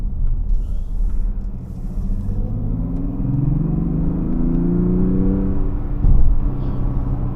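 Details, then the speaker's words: 2024 Mazda CX-60 Takumi, 3.3L turbo inline-six making 187 kW and 550 Nm, accelerating hard: a deep note climbing steadily in pitch over road rumble, pulling cleanly. The driver suspects some engine sound is piped through the speakers. "yeah this is how it sounds when you putting it on spot that's why I said I think they pumped in some sound through the speakers and you you'll hear it now"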